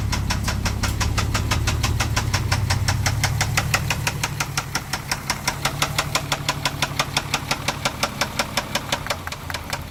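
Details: MK4 Jetta VR6: sharp, regular metallic knocking about three per second throughout, a deep rap from the bottom end; owner attributes it to a spun bearing; engine knock.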